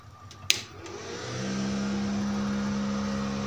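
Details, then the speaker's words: Daesung ARC120E 900 W welding transformer after over two years of use, just switched on: a click, then the cooling fan spins up to a steady low hum with a faint airy hiss, slightly noisy but normal. "Kemudian terdengar juga suara kipasnya agak sedikit berisik gitu."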